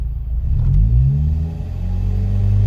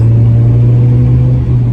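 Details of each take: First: Ford Mondeo on road after breaking down returning from Santa Pod: engine note climbs then sags and flattens mid-pull, hesitating and losing power, recently stalled; owner suspects failing fuel pump, unconfirmed. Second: Ford Mondeo after fitting new fuel pump and second-hand coolant temp sensor, 90-mile test drive: deep smooth rumble pulling steadily under load, no stumble or misfire; problem seemingly cured, owner thinks fuel pump was cause.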